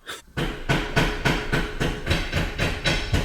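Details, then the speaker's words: BMW E34 barn find, sat 10 years: dragging, uneven crank at about three and a half turns a second that never catches. Owner says the starter is begging for help and jiggles the battery connection; weak starter or battery suspected. "that starter is begging for help oh but the battery i gotta go jiggle the battery now this is so annoying"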